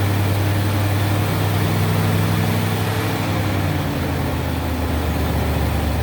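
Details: 1970 Mercury Cougar V8 idling after a broken engine wiring harness section was replaced and soldered in so it starts with the key; steady, even low rumble with smooth idle, no knocks or misses; normal healthy idle.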